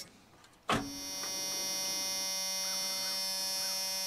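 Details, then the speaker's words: Abandoned junkyard Chevy S10 at key-on with borrowed battery: clear steady electric whine holding even pitch, fuel pump priming properly; engine then spins over on starter, tank smelling of varnish. "that fuel pump is working let's try one more again we're spinning over that's a good sign"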